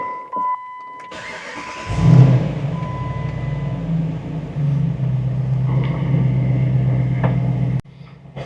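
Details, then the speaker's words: Jeep JK's first fire-up after its 3.6 Pentastar was replaced with a 505 hp 392 Hemi package on a 200,000-mile truck: starter whirr, then a deep, loud, even V8 rumble that settles without misses; normal start and idle. "[laughter] Oh, that is unmistakably not a 3.6 L Pentastar."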